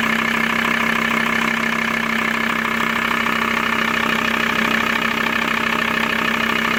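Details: Steady diesel idle of a VW T4 (ACV engine) with a regular tapping about three per second riding over it; engine noise at idle, source unclear.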